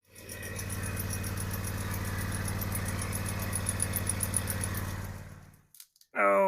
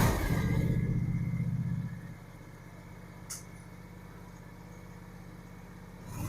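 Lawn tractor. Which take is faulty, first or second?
first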